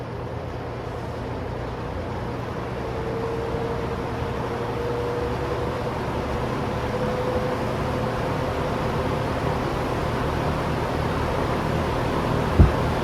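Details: Vintage blue GE 2-speed fan with spin switch: steady even whoosh of air with faint low hum, no ticking or scraping; normal running.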